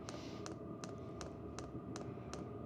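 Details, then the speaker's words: Vevor diesel heater in primer phase, after a sound-dampening mod: soft, plasticky fuel pump clicks about every 0.4 seconds over a faint hum, replacing the earlier hard metallic whack. Ticking is now much quieter. "right now I mean that definitely made a big difference it's more of a plasticky click than that hard metal whack that we were getting before"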